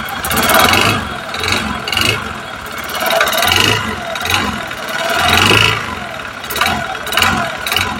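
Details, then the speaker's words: Honda Beat FI second-gen (K44) scooter engine, blipped repeatedly: rough rattly clatter riding over each rev rise, CVT ruled out; mechanic diagnoses a problem piston, piston slap. "langsung vonisi ya Mas langsung tak vonis Mas puny jenengan piston bermasalah langsung tak vonis aja ya Mas"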